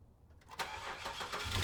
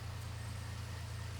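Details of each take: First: Free used car on a cold start: it cranks briefly, catches, and settles to a rough idle with a whining tone over it while the alternator visibly jumps. There is no knocking or ticking, and the noise is unidentified. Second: Free car with an intermittent whining noise (owner unsure, suspects power steering; alternator seen jumping): smooth low steady idle hum with no knocking or ticking on top; the engine itself sounds healthy.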